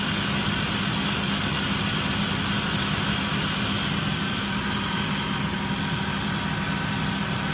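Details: Engine at steady idle with light, irregular clicking faintly over the hum, heater hot; owner suspects the water pump is going out, not confirmed.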